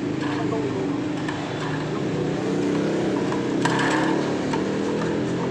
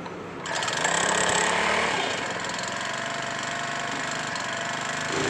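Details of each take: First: Petrol-fuelled steam sprayer engine that reportedly starts hard and dies when throttled: runs harsh and gritty with an uneven rattle about three beats a second; suspected worn crankshaft bearing, engine to be fully disassembled. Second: Small petrol-only steam sprayer engine that was hard to start, sounded rough and died when throttled. After repair and a 100 ml oil fill it runs at a steady, even, fast beat with no knocking and holds speed smoothly. Normal running.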